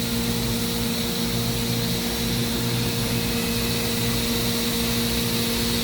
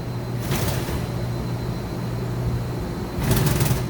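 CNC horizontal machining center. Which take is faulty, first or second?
second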